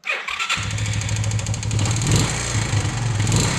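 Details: Kawasaki Bayou 220 ATV after rewiring the electric start: short crank catches within half a second into a steady, even single-cylinder idle in neutral; normal start and idle.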